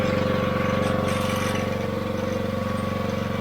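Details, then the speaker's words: Newly replaced AR45 pressure washer pump and gearbox (after leak at 14 months), came pre-lubed; running with no leaks and no funny noises; even engine drone with steady rapid pump pulse, no knocking or grinding, normal operation. "but yeah it's all good no leaks we go no funny noises came pre-lubed"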